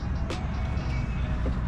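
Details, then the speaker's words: 2011 Yamaha Stryker 1300 V-twin with about 8,000 miles and factory exhaust, idling after a crank-no-start was fixed; steady, deep, even lumpy beat, no misses or knocks, faint music behind; running fine. "And now that I got everything fixed, man, it's running nice, man. Running real nice."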